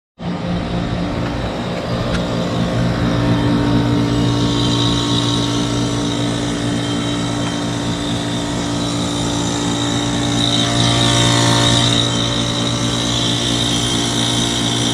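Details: 2006 Trane XB13 5-ton heat pump outdoor unit with a bad capacitor in defrost cycle at 28°F: heavy steady low electrical hum with a brief rushing hiss swelling midway; loud hum during defrost.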